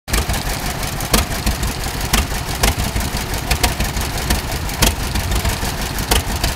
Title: Great Oregon Steamup tractor with neat idle; exhaust leak